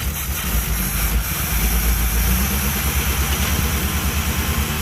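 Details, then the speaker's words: Fast, busy idle with an even low throb, above normal warm idle; choke stuck on. "the choke is stuck on"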